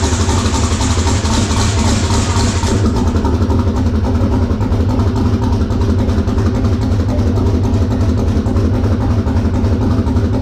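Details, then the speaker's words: Twin-turbo LS-swapped SN95 Mustang on first start-up: the engine catches and settles into a lumpy, uneven idle with a missing beat. Number two cylinder isn't firing because its coil wire was found cut. "so as you heard she fired up this is the reason number two wasn't running"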